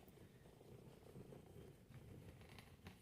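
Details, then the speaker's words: Nissan Kicks alternator, recorded close to the pulley: low gritty purring rumble as the pulley spins up, the rough churn of a worn alternator bearing; alternator bearing noise. "O rolamento no bagulho, ó. Fica bem pertinho para vocês perceberem, né? Esse barulho."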